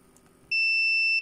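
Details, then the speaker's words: Logitech S-220 2.1 speaker amp board (bass output dead), continuity test across a capacitor: clear high beep about three quarters of a second, cutting off cleanly as it charges; capacitor healthy. "Hemen uçlarına dokunayım bakın bip dedi ve sesini kesti arkadaşlar Tekrar bakalım bakın doldu"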